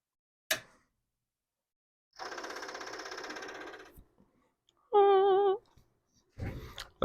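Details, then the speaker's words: Commodore PET 4040 disk drive, earlier note said 8 flashes, RAM UE4/UE5 suspected, powered on with what should be a working board: sharp click, about two seconds of rapid buzzing chatter, a short warbling tone and more clicks; normal power-up sound. "is a good sound it is but will it work well we'll see"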